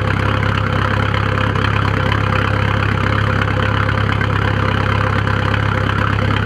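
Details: 1997 VW 1Z 1.9 TDI diesel idling with a lumpy, uneven beat and white smoke; ran smoothly until suddenly starting a few days ago, cause unknown.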